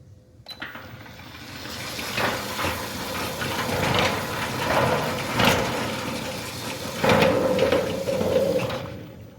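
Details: Centurion D6 Smart sliding gate motor on a steel sliding gate, running at normal speed: a rough, rolling scrape that surges and fades as the gate travels; noise attributed to the steel ground track, and slowing the motor is the fix.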